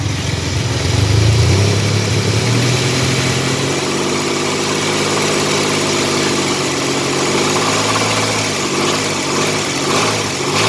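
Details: 1985 Chevrolet S10, 2WD, 2.8 two-barrel carbureted V6, almost 60 psi oil pressure, transmission not yet installed: rough-running engine with an uneven rapping knock that follows the revs; knocking noise, source not yet checked.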